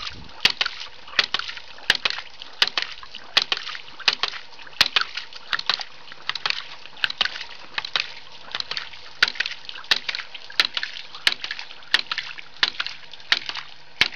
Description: This is a video testing my new homemade ram pump, 4' of fall 15' of head, 1" drive, 1" pump, 1/2" output.